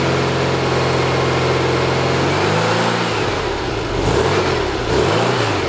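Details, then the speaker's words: Rebuilt 1835cc air-cooled VW engine for a bus with a vintage speed muffler, first start since rebuild, not yet tuned: a steady, even idle, then smooth throttle blips with no misses, knocks or rattles. It ran without real problems. "So it ran successfully with no real problems."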